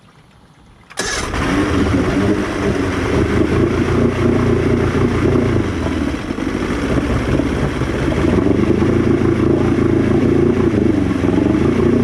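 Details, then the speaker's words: Outboard after carb cleaning, 50:1 mix, primer solenoid working, warmed ~30 s near full throttle: catches at once, runs loud with uneven lumpy beat; slowly dies when returned to idle, cause not yet found. "All right, as you can see, not great results. Even after I hit the throttle almost all the way down and got it to run for about 30 seconds, the motor should be warmed up. When I try and put it back to idle, it just slowly dies and kills."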